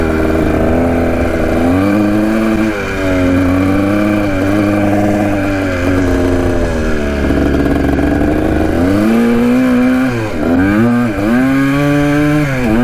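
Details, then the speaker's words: 1980 Kawasaki KDX 175 two-stroke with a silencer fitted: pitch climbs and falls but revs build lazily on each blip, slow to rev out; owner suspects the carb slide. "you can hear the bike runs pretty good but i think it's just a slide that's causing issues you can hear it uh rev out all the way but it takes a little bit"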